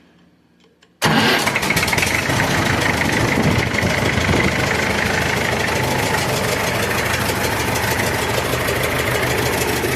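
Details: Massey Ferguson 65 diesel tractor after battery replacement, throttle set slightly above idle to spin alternator faster: engine catches straight away and settles into steady even diesel clatter; normal start and idle while checking for about 13 volts charging.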